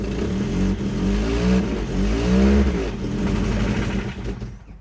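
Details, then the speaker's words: Ford Taunus/Cortina fastback coupe 4-cylinder, first start after 40 years parked, on 40-year-old fuel: engine revs and settles smoothly with an even beat and no knocks; normal running, just before a clatter stopped it. "It sounded smooth, it had 4 cylinders, it sounded fine."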